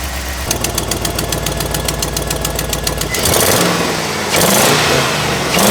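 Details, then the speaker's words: 2004 GMC truck after fixing a massive exhaust manifold leak: the engine runs even and steady with a quick, light injector tick over a loud exhaust, then blips cleanly. The injector noise is normal for it, and it still needs a muffler. Normal running. "it's got quite a bit of injector noise but that's just how they are it sounds good we got to put some muffler on it cuz it's kind of noisy"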